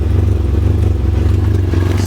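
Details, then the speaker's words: Engine runs lumpy and uneven, sucking around and breaking up, with fuel smell in the air; runs fine with the coolant temperature sensor unplugged, so owner suspects that faulty sensor causes the rough running. "can hear it like sucks around they like even worse and then or it just fixed itself don't see it'll break up"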